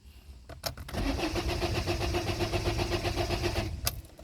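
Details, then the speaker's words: 2008 Citroën Nemo van: steady, even starter cranking about four turns a second for roughly three seconds, never catches; no fuel reaching the combustion chamber, suspected blocked fuel filter, not confirmed. "So there's obviously no fuel coming through the system. It just keep cranking and cranking and cranking."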